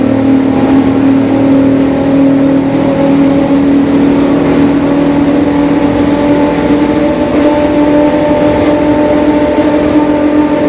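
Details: 2021 Marcopolo Torino S bus on Mercedes-Benz OF-1721 BlueTec 5 diesel chassis, driving in urban service: steady droning hum over the diesel, holding pitch with road speed; a growling differential.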